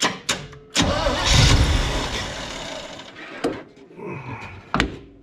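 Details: 1975 Chevy 4x4 V8 with new spark plugs, hot-wired, electric fuel pump removed: sharp cranking bursts, then a loud raw roar that stumbles and fades; bad exhaust leak, no exhaust fitted, smoking, owner suspects no rings.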